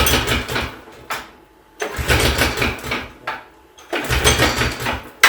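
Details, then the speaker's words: Pull-start attempts on a red go-kart engine: three brief ragged churns that die without catching; cranks but no start, owner suspects he flooded it by pumping it, and the carb is loose. "Maybe not. Maybe I flooded it by pumping it. The carb's loose."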